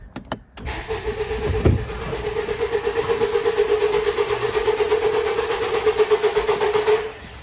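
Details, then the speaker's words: 2017 Honda CR-V 1.5L turbo with rough running and no power, cranking with injectors disabled for a compression check: steady even pulse for about six seconds, 100% compression across all cylinders, casting doubt on the dealer's head gasket diagnosis. "crank boom so we're 100% across the board that's good"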